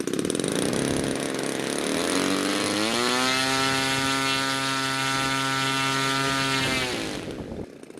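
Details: DLE 35 gasoline two-stroke RC airplane engine in a Hangar 9 Valiant 30cc, after fixing hard starting by trimming the choke push rod Z-bend for full choke closure: catches, climbs to steady high buzz, holds evenly, cuts off; clean running.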